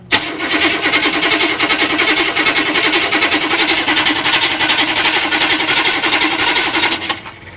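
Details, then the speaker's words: GM 6.2 diesel Suburban cranking with the glow plug wire and injection pump power disconnected: even, rhythmic cranking under three beats a second with no catch, slower than it should be. "that's not the fastest cranking 6.2 I've ever heard"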